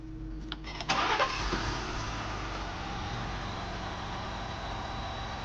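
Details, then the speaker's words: Ford F-150 engine after reassembly with timing chain marks realigned: brief crank and catch, then quiet, steady idle with no knocking or rattling; noise fixed. "听到没有？现在就非常的安静。"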